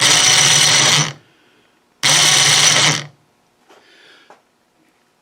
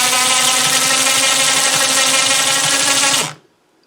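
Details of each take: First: Snow blower chute-rotation winch motor bench-run on jumper leads: two one-second bursts of harsh high-pitched gear whine and rattle; noisy gearbox, owner unsure whether it is bad, needs grease or is normal for winches. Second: Snow blower chute winch motor, which made a terrible noise before, after disassembly and greasing its gears: steady high motor whine with even gear buzz for about three seconds, no grinding. Normal winch motor run.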